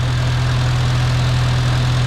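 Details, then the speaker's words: Farmall Cub tractor after fitting a new carburetor and an in-line fuel filter; it wouldn't run right on the old carb without fiddling with the choke. Now a smooth, steady low idle with even firing, no stumbling and no smoke. Normal idle. "oh he's turning man that sounds good wow it wouldn't even run right with the other carburetor unless I sat there and played with the choke lever she's not smoking or anything that's fantastic"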